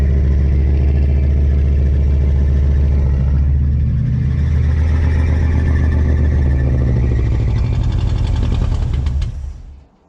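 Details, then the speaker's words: Big-block Chevy V8 in a truck, not run in years, smoking from Marvel Mystery Oil in cylinders: strong steady low burble with even firing for about nine seconds before shutoff; compression guessed decent. "the way that it fired fired right up once it had had enough fuel I'm guessing the compression is pretty decent on it"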